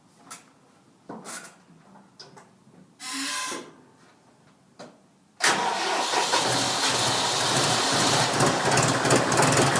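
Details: John Deere 5103 diesel tractor, really cold start at about 29-30°F after sitting a few days, previously needed long cranking; several quiet clanks, then catches around five seconds into loud steady clatter, a good cold start.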